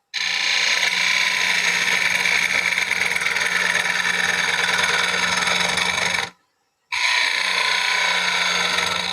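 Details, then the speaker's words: Lathe turning a calabash bowl, gouge riding the bevel toward the center: harsh rough scraping chatter over the lathe hum, then a brief stop; chatter is from the tool getting dull and needing sharpening; dull turning tool chatter. "and you hear that chatter so to speak i can keep going but what you're hearing is the tools getting dull"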